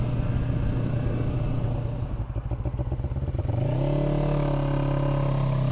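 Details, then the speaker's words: 1996 Suzuki GS500 twin, stock with two-into-one pipe, running without choke: low rumble stumbling through a choppy uneven patch then settling to steady drone; uneven running, owner says fuel-air mixture needs adjusting. "Yeah, I got to adjust the fuel air mixture."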